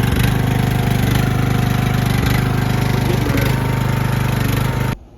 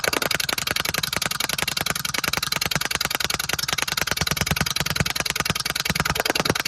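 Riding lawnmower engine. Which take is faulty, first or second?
second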